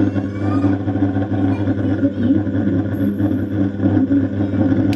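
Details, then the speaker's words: Home theater subwoofer at switch-on: steady loud low buzzing hum from the bass with no music while satellites work fine; failed 2050 bridge amplifier IC for the woofer is the cause. "देखिए दोस्तों इस set के अंदर यह problem है जब हम इसको ऑन करते हैं तो इसके बेस के अंदर इस तरीके से आवाज आ रही है"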